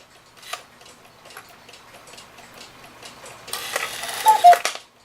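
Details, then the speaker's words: Hebert Herr 8-day cuckoo clock, before oiling, with a weight hung on the cuckoo train. Light steady ticking is followed by a short burst of bellows and whistle at a sensible pace, so the cuckoo call speed is normal. "So that doesn't sound bad at all, so I wouldn't doubt those 1,500 weights are for this."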